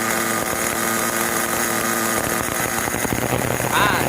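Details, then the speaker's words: New VX18 nitro engine in an RC car, end of second break-in tank, car blocked up: high buzzing idle creeping upward in pitch as the tank runs dry and mixture leans, then it cuts out; normal fuel-out behaviour. "Kalau minyak nak habis dia akan macam ni timing dia akan naik tinggi. Lepas tu dia akan padam."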